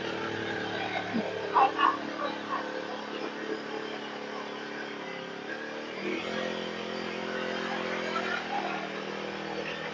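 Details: Small two-stroke grass trimmer that would not start after long storage, now started: engine ticks over quietly at a steady low speed, running evenly without cutting out.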